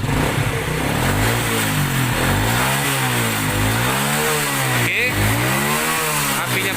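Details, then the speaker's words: Supra/Grand motorcycle after converting ignition wiring from AC to DC 12 V: quick throttle blips rise and fall cleanly, no misses, knocks or rattles; good power and good idle. "pun enak tenaganya pun enak ya stasionernya juga bagus gitu kan"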